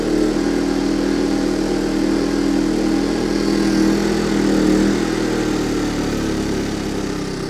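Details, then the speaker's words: Yamaha 2000 generator, bought as a non-runner, with the low-oil alert switch wire unplugged to disable it: steady, even drone with no surging, misses or knocking, easing off slightly near the end. Runs normally and makes power. "looks like this thing runs well it makes power I mean it cost me 40 bucks really can't complain about that"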